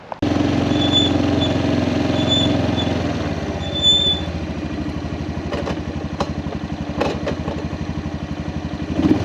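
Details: Kawasaki Prairie 400 single-cylinder ATV after engine rebuild, on a test ride, camera on magnetic base: revs cleanly, settles to steady even beat, no knock or misfire; runs fantastic, rides smooth; carburetor float still needs adjusting; normal running.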